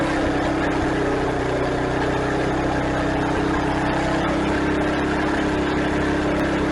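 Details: Craftsman garden tiller test-run just after replacing the old worn belt and checking tension, belt guard still off; steady even engine drone and constant hum with no misses, knocks or belt slap: normal running.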